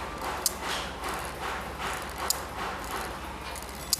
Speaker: जब ये Hamming create करेगा तो ये जब यहाँ से चल रहा होता है, आप लोगों को नज़र आ रहा होगा कि देखो एक आवाज़ आ रही है।